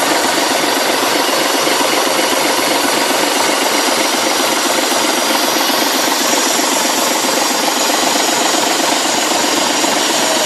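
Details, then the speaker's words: Leyland diesel engine in a restored Ribble BD-2 recovery truck, rebuilt with chassis, gearbox and front axle refitted, running after many years stood, little smoke; even, steady diesel clatter at idle, no misses or knocks, normal healthy idle. "starting to let you hear the sound of this engine how beautiful it is back a long long time many years without running"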